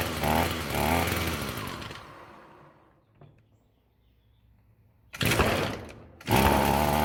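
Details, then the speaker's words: Roadside-found Echo SRM-210 two-stroke string trimmer, first start on choke after fresh-fuel rinse and new purge bulb: buzzes, then fades and dies once throttle drops, stays running only with idle held up manually; bent idle speed screw to be straightened and set higher. "It won't run on idle. Looks like if I manually hold that idle up a little bit, it'll stay running. So I'm going to see if I can straighten this screw out that's been bent, and then we will try to set the idle a little bit higher."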